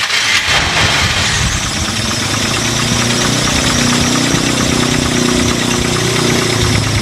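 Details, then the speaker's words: 1996 Toyota Kijang KF42 short-chassis Super G with 148,000 km, idling after start: a steady, even idle with no knocks or suspicious noises, so the engine is healthy. The oil is black and old; there is a slight oil seep at the pump. "suara stasionernya masih Anteng dia masih enak masih sok juga enggak ada suara-suara yang mencurigakan"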